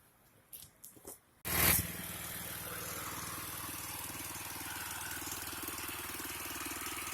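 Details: 36" Bunton walk-behind mower, unstarted four months, after carburetor cleaning and freeing kinked throttle: catches after a few pulls and runs steady and even, no missing or surging; normal running.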